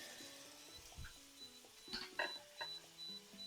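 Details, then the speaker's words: Repeated short, high-pitched beeps from a kitchen hob's control panel, triggered by liquid spilled onto the hob controls while chicken fries and sizzles with background music. "can you hear that beeping that's because liquid has dropped onto the hob and it like I don't understand if you want the Hub on or not"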